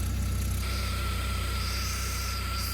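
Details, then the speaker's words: Citroen Saxo VTS petrol, revived after two to three years off the road: an even, steady idle with a deep induction note and a faint high whine on top, no misfire. It runs pretty well apart from a slightly noisy alternator belt. "but the car ran and apart from the slightly noisy alternator belt it ran pretty well"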